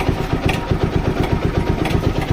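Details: TVS Apache RTR 200 4V: steady idle with quick even thumping and light metallic chatter over it, a worn timing chain rattling; replaced with genuine part.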